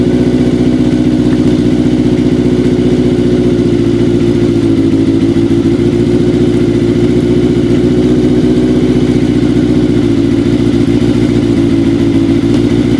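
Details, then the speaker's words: Kawasaki KZ750 cafe-build idling loud, lumpy and uneven on four cylinders after worn intake manifold boots were replaced to cure a vacuum leak; it had run on three for a long time, compression is good, and it still needs carb sync and timing tuning. "doesn't seem to be running too happy on four cylinders uh as happy as it was on three"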